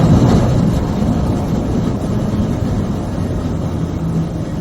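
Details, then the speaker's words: Ford F-150 driving, dashcam: harsh low grinding like a dragged metal trash can; 4WD vacuum system losing suction lets front hub gears partially engage four-wheel drive; fixed by replacing parts. "kind of sounds like i was suddenly dragging a trash can or a skid plate came loose and was grinding into the ground uh so it's uh it has to do with the vacuum system for the four-wheel drive and it's losing suction so the gears start to engage four-wheel drive accidentally and it grinds"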